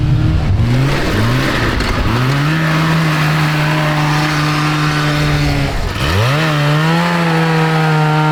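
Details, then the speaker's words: Go kart with Kawasaki 440cc two-stroke snowmobile engine, CVT belt drive, after carb jetting, wide open throttle: engine note flares and climbs while road speed lags, no bogging; drive belt slipping. "Hey, did you notice that it's not bogging when I hit the Yeah, but the belt is terrible. yeah, you can hear it actually slipping."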